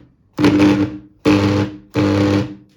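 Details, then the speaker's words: Angle grinder that hums but won't spin, speed regulator at minimum: three short bursts of a low steady hum with no spin-up. "гудит и ничего. Значит, сейчас будем определять причину поломки."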